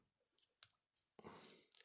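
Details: Keypad membrane switch tested with an ohmmeter on continuity beep: two sharp key clicks on a normal press but no beep follows, so the contact only closes when pressed hard; intermittent switching, probably the worst keypad tested.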